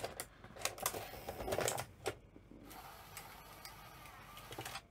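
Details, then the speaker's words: Sony SL-C9 Betamax VCR being powered up: quiet motor whir with light, crisp clicks as the cassette loading mechanism cycles, moving smoothly without grinding. Loading works normally, though play then gives no picture. "nice and smooth that's actually really good"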